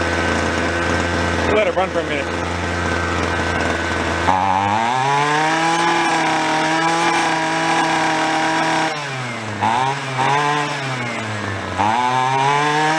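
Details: Free roadside two-stroke weed whacker: buzzy revs rise and sag unevenly, stumbling as the low-speed screw is adjusted; running lean before being richened on low and high.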